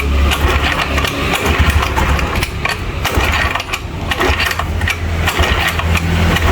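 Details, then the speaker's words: Honda Scoopy scooter after CVT work, no battery or starter: rough uneven idle with a quick light ticking chatter over the hum; unhealthy engine that needs a tune-up, cause not confirmed. "Enggak sehat nih kayak gini nih. Cet cet cet cet tuh, enggak sehat nih harus di tune up."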